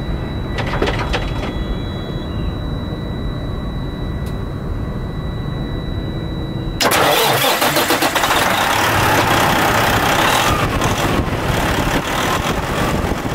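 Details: Owner-operator diesel truck, first start after replacing a clogged, filthy fuel filter that had caused hesitation: it catches and settles into a steady, even diesel clatter about four beats a second with no stumbling; normal idle.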